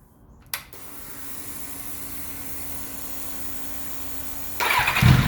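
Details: 1991 Kawasaki ZXR750 twin-turbo build after retuning, about 18 degrees ignition at idle, leaner mixture, no exhaust smoke: quick catch on the starter, then a settled, even idle hum with no hunting or popping. Normal idle.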